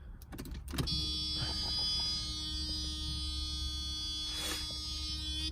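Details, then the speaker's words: Mercedes SL 500 that had sat 5+ years: after vacuum-leak repairs, the door-lock vacuum pump heard at the rear keeps humming without cycling off after door clunks; leaks likely remain, pump possibly still connected to engine vacuum. "you can hear that pump running back there that's for the door locks though and I think it actually could still be connected to the engine and stuff"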